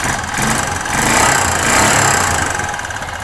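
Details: 2005 Kawasaki Bayou 250 idling unevenly at about 3.5 beats a second with slight surging. The cheap Chinese carburetor is in bad shape and will be replaced. It improves when warm, with no knock, a slight valve tick and no smoke now.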